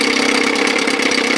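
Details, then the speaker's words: 1957 Montgomery Ward Sea King 5 hp two-stroke outboard, long unrun, idling with no thermostat: crisp, rapid, even buzzing putter with no misfires or rattles; cylinder still not hot, water warming. Normal, sweet-sounding idle. "I love the sound of these little guys. This one sounds super sweet, man."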